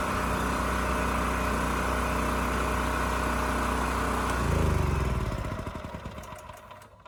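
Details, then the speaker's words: Champion generator model 40026 after carburetor cleaning and replacement of its rusted fuel tank: small single-cylinder engine runs steady and even for about four seconds, then shuts off and coasts down smoothly; starts, runs and supports a load. "no surprises this thing still starts runs sounds good and supports a load so i think we're done here"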